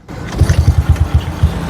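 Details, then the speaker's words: Old Yamaha Jupiter Z / Vega R New carbureted motorcycle, repaired after growling at mid rpm (40–60): the idle is now normal, an even low putter about seven beats a second with no stumble or misses. "Langsamnya normal ya. Bisa kasih lihat suaranya tanpa digas pun ya."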